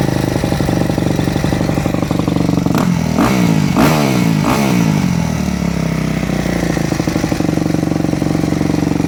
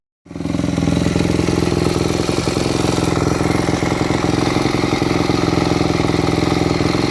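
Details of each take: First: Four-stroke motocross bike (e.g. YZ250F/YZ450F) with Keihin FCR-MX carburetor, after the fuel screw is turned back out: single-cylinder idle blips high for about a second, then drops to a steady normal idle; fuel screw set properly. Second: Warm four-stroke motocross bike with a Keihin FCR-MX carburetor idling with the pilot fuel screw set too lean: irregular crackles and pops from the exhaust. This starves the engine of fuel and makes it hard to start.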